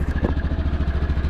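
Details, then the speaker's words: 2008 Yamaha Rhino 700 UTV, high mileage, idling with an even single-cylinder thump of about thirteen beats a second, clean and steady with no knock or misfire; sounds really good, normal idle. "Actually, sounds really good."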